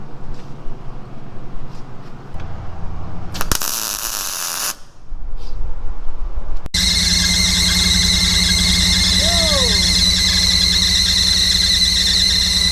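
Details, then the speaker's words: 1996 Baja Outlaw 20 boat, 5.7L MerCruiser V8, timing being reset: steady high-pitched squeal rides over a rough-running engine without dropping out. "I got some belt conditioner because the belt squeak is terrible"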